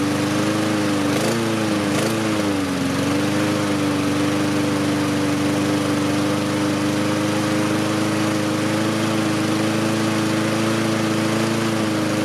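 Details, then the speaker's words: Husqvarna push mower small single-cylinder engine after bending the governor adjustment with pliers to raise rpm for better running and fin cooling: pitch wavers briefly then settles slightly higher and even; normal running at raised governed speed. "i'm going to start it up here i'm going to make an adjustment to it and you'll be able to hear that the rpm changes as i bring it up"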